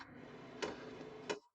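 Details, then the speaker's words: Kroak TB2 12 V, 8 kW diesel heater in a case, during first startup with the fuel line still filling: two sharp ticks about two-thirds of a second apart over a soft fan hum; the dosing pump is clicking normally. "You can now hear the pump. The clicking of the pump is clearly audible."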